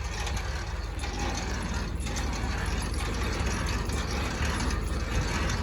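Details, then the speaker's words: Semi-trailer landing gear cranked in high gear with load off the ground: steady low mechanical ratcheting and gear chatter, turning smoothly without binding or strain; winding up freely. "see how easy it went up in high gear now since i took all that pressure off it you"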